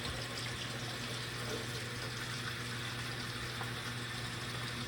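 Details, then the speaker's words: Winterizing an irrigation backflow preventer in a basement with the main water shut off. The drain is opened into a bucket and a soft, steady rush of water runs out; opening the ports keeps the line from air-locking, as intended. "let that water out again if we would not open those ports we would not be getting this water out this would be air locked"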